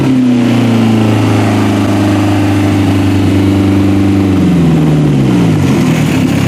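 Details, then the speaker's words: Toyota Camry wagon (1991-1996) engine running on a standalone wiring harness, revved toward redline. Holds a high, smooth rev, then winds down evenly with no misses or knocks: healthy. "how about a little bit more redline for you"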